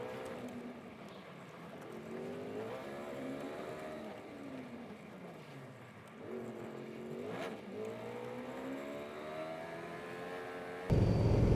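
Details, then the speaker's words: 1955 Chevy with an automatic transmission rebuilt from several transmissions: revs rise and fall with a whirring tone underneath but it never shifts; reverse works, owner suspects the valve body, with the pump still unaddressed. "Well, something definitely does not sound right down under there, but... hopefully, it just works. Yeah, something doesn't sound good under there."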